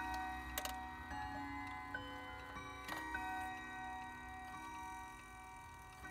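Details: Howard Miller 612-581 triple chime regulator wall clock after replacing the broken time-train spring and barrel and fitting a new suspension spring, cleaned up: soft even ticking, about three a second, with occasional chime tones; movement healthy and steady.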